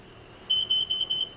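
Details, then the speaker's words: Motorhome carbon monoxide detector going off: four quick shrill beeps in under a second over a quiet room; exhaust gasket leak blamed. "why is that happening why is that happening um i went off just went off huh that's kind of scary man"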